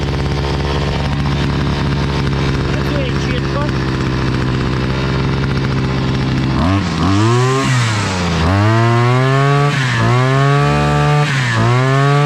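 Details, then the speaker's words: Chinese two-stroke petrol brush cutter/trimmer after carburettor cleaning, new crankshaft seals, new fuel hose and filter, and adjustment: steady buzzing idle, then quick clean revs up and down with no stumbling; runs crisp and healthy. "зажигання в нас уключено тепер вже її заводив відрегулював все працює шикарно"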